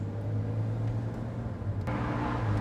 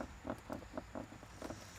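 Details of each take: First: 2009 BMW Z4 E89 driving: only steady low road and engine drone, no creaks or rattles from cabin panels; trim quiet. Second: 2009 BMW Z4 E89 interior: faint, quick squeaks about four a second as the armrest/glovebox lid is pressed, coming from the latch spring; hinges also noisy.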